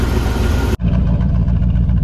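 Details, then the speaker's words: 1979 Jeep Cherokee, AMC 360 V8, Quadra-Trac, started after sitting 3 to 4 years: steady evenly spaced low pulses, no misses or tapping; idles smoothly, apparently firing on all 8 cylinders. "Listen to that 360 purr, guys. If it's not hitting on all 8, I don't know why it wouldn't be. It sounds like it is. It sounds like it's hitting on all 8 to me."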